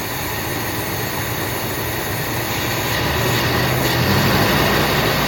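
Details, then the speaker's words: 1979 Buick Limited Landau, 350 Buick V8, first run after long storage, old gas drained, new fuel pump, some two-stroke gas in fuel, smoking a little: loud, uneven idle with lumpy low pulse and rising roar; rough idle. "got a lot of stuff around here but she's odling got a little two-stroke gas in it smoking a little bit"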